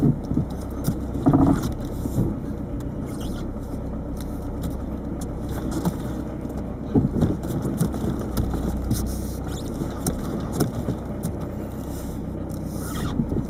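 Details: 1998 Peugeot 306 turbo diesel, over 160,000 miles: clunky rattle under load, hardest at take-off when dumping the clutch in 1st, also on throttle in 2nd/3rd. Exhaust checked with nothing seen; owner suspects a worn lower engine mount bushing, unconfirmed.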